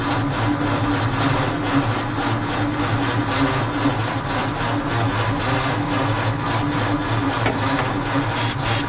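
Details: 1948 Ford F5 truck, dormant nearly 30 years, cranked with starting fluid while the distributor timing is being adjusted and the battery charges: slow, uneven starter churn with loose chuffs from the cylinders, never catching; it cranks but won't fire.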